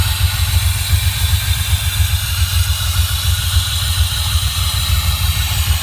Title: Delorean metal grinding noise w lose of power